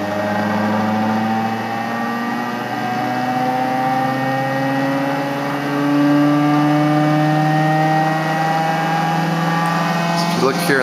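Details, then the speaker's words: RomeroUK Muller generator replica: a rising whine as the rotor spins up, with a busy rattle riding on it from loose internal pieces. It should quiet down once everything is tightened. "I've got some loose pieces in here that rattle so this always sounds like it's going to fly apart when I bring it up to speed as I button everything down tighter uh it will get quieter"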